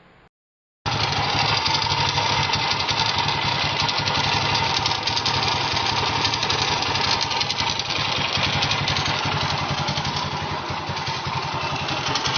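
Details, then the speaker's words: Honda GL100 (GLK 100, CDI) single-cylinder engine before disassembly, catching and settling into a fast idle with a dense, busy metallic rattle over the exhaust from the clutch side; top end quiet, smokes, leaks oil; clutch-side rattle. "Sebelum mesin kita nyalakan, kita lihat dulu kondisi suara mesin sebelum dibongkar, ya."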